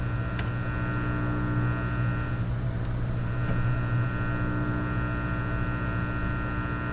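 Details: Teletone 67-600E record player's simple amplifier at full volume with nothing playing, on an isolation transformer: a constant low hum with a buzzy edge from the speaker, cause not yet known.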